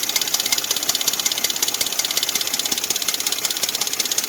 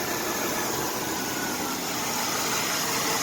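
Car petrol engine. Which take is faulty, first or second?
first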